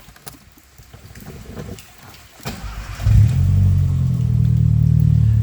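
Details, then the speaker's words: 2001/02 VW Parati 1.0 16V Turbo start and idle: cranks and catches, then a light quick tapping at about four per second, a hydraulic lifter tick said to be typical of 1.0 16V engines. The car also loses power after a while, stalled and overheated. "Dizem que 1.0 high torque, né, 16 válvulas, todos eles dão essa batidinha de tucho, né? Até aí tudo bem."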